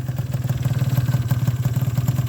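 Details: Yamaha Zuma scooter after fixing a bad exhaust leak (one bolt missing, the other loose): even, low putter at about sixteen pulses a second, no puffing or ticking; clean idle. Owner suspected a bad enricher and hard starting until warm.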